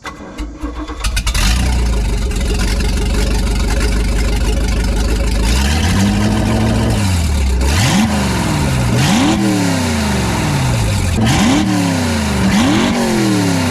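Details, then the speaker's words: 1989 Raven Countach boat, 350 with MerCruiser Alpha One, restarted after aluminum bearing debris found: catches quickly, clean throttle blips rising and falling; runs smooth and even, sounds healthy. "it's a little bit better nice and smooth"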